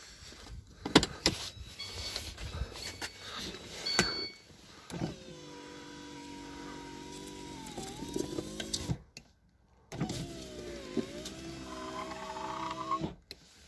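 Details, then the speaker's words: VAZ 2115 power window on the other side, before silicone treatment: motor whines as glass travels with a rough scraping rasp along the run, something dragging in the window channel; power window scraping noise. "что-то скребет ребята"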